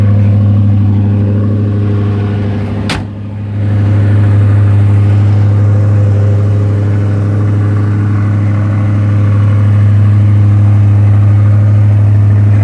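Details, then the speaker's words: 1985 Ford Thunderbird, about 80,000 miles, cold start: steady deep V8 burble at elevated even idle, owner guesses 1200–1500 rpm, lasting roughly 5 minutes; cause unknown; small hole in muffler. "Now, one of the problems is when you first start it cold, it idles high for roughly 5 minutes, I guess."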